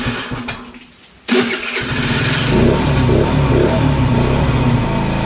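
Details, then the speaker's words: 50cc scooter engine not run since the previous day: quiet cranking, then a rough catch into a busy single-cylinder warm-up idle; the starter bendix clutch is suspected bad from the harsh engagement. "almost time for a new bendix clutch i can hear that bendix clutch is bad but there you go she fired right up she's in her warm-up process right now"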